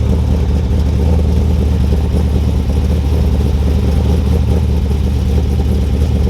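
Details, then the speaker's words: Cold-start idle of a 383ci LS1 stroker just installed in a 2002 Trans Am, after a cam-sensor fix; deep, steady V8 rumble with an even low beat, no ticks, knocks or stumbles; normal idle. "We'll go out here in a few minutes and get some idle clips for you and let you guys hear that thing."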